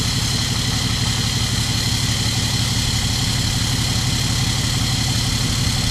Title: 6.7 CUMMINS COLD START! do we hear a misfire???